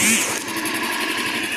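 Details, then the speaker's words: Honda Astrea Grand motorcycle idling with the exhaust plugged by a sandal, a pre-purchase check for abnormal noises from the piston pin, con-rod or head: a quick, even putter with no knocks or tapping. It idles smoothly. "Nah di sini mesinnya sudah hidup terus kita melakukan pengecekan yaitu ditutup pakai sandal"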